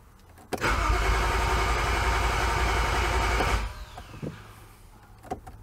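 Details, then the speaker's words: 2011 BMW E90 xDrive, rebuilt N55 with Stage 2 turbo and 8HP45X swap: fast cranking, briefly tries to fire but no start, fuel pump not heard; terminal 87 no-voltage and rail pressure codes, caused by a blown DME fuse and faulty rail pressure sensor. "I don't hear the fuel pump but give it a crank that was weird it tried to fire but it"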